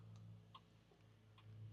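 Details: Turn signal flasher on an old junk roadtrip vehicle being checked: quiet, even clicks about every 0.85 seconds over a low hum; signal working normally.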